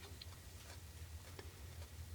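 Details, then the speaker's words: ECM motor on bench, shaft turned by hand: quiet irregular light ticks, a few per second; bearing suspected bad. "yes it's making a weird noise inside there probably the bearing is bad"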